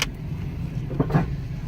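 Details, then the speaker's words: Jeep Compass, about 150,000 miles, ABS and traction control lights on, rolling at low speed: pair of dull clunks over road rumble; suspension sounds about to come apart, not yet inspected. "do y'all hear that hold on good lord okay this suspension about to come apart"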